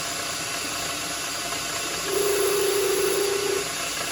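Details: Lathe turning an 8mm solid brass rod down to about 7mm for M7x1.0-threaded shelf pegs; a buzzing mid-pitched tone rises over a steady motor hiss as the tool chatters, before oil is applied.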